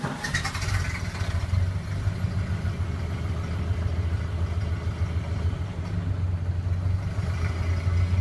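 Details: Early 1928 Ford Model A Tudor sedan, not fully warm, on the existing reproduction muffler before replacement with an Aries system: low throaty exhaust rising with throttle, then dropping to a slightly rough idle, with a loose puffing leak at the clamp of the worn muffler.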